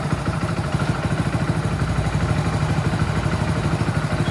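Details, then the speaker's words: Hero Passion Plus BS6 motorcycle, after setting value to 9.8 to fix stalling, poor idle and jerking: starts readily, steady low single-cylinder idle thump, no stumbles or misses; normal idle. "So start பண்ணும்போது idle பாத்தீங்கன்னா பக்காவா start ஆகுது. பிரச்சனையும் இல்ல"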